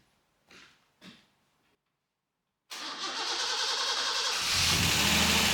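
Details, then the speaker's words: Customer's 2.8 Special Xpack, cold start after two or three days sitting, just after the valve clearances were set (it previously spluttered and cut out): a quick crank, then it catches cleanly and settles to an even idle with no valve tick; normal start. "well I'm really interested to see is if there's any ticking noises in the valve fin after I've just set them"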